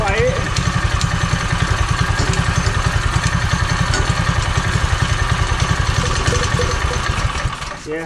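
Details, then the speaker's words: Power Wheels ride-on small single-cylinder engine with new carburetor, after straight exhaust and muffler fitted at back: steady, even, muted idle, much quieter, running normally. "it's so much more quiet"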